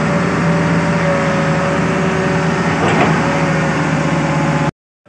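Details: Hitachi Zaxis 200 excavator diesel after throttle/accelerator cable fix: steady drone with low even hum, no knocks or rattles; runs smoothly and holds speed.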